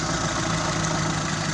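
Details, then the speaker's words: Fuel-injected T120SS engine bay, pressing throttle moves throttle position sensor and raises RPM: steady even engine note rising smoothly on throttle blip, no knocks or rattles; healthy response. "Jadi kalau kita injak pedal gas, buka gas ini, nah hubungannya dengan ini, kalau kita injak maka RPM otomatis akan tinggi."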